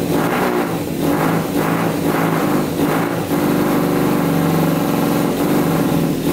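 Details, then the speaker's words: Custom Yamaha Banshee quad with 600cc four-cylinder sport bike engine, after unclogging pilot jets: uneven, lumpy, stumbling running as it revs; middle cylinders two and three not firing, no spark from the coil feeding plugs two and three. "i don't think our two middle cylinders are running so let's check spark there again"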